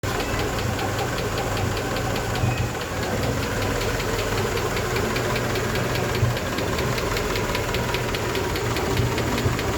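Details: Honda 88 petrol engine idling with a steady, sharp tick about four per second over the low rumble; owner seeking help identifying the ticking noise.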